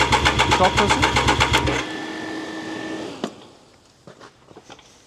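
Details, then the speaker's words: Triumph Daytona 955i project motorcycle: engine fires in quick even pulses about four a second for under two seconds then dies, running only on starting spray; owner suspects fouled spark plugs from oil put in, or injectors not working. "If this isn't igniting properly, that means the spark plugs are filed, >> which is honestly quite likely cuz I put lots of oil in there."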